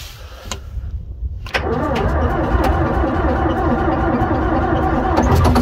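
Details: Diesel tractor cold start on a snowy February day after ether is sprayed at the air intake: short crank, then it catches and settles into a steady, even clatter with no stumbling. A slight exhaust leak from a broken manifold stud is audible.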